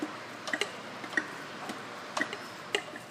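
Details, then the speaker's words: Ford 6.0L Powerstroke high pressure oil pump from 2005 F250 crank-no-start, hand-turned on the bench: faint light clicks, no rough or bind spots, turns freely and pumps normally. "you know no rough spots no uh bind spots should just kind of turn like that you can verify that"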